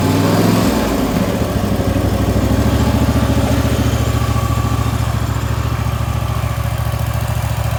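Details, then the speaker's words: Wright Stander X stand-on mower, just finished restoration/revival and rewired with a substitute ignition switch: engine catches on start-up and settles into a steady, even idle beat, no misses, knocks or rattles; normal running. "So I'm sure you guys are wanting to hear this thing run, so let me go ahead and start it up for you."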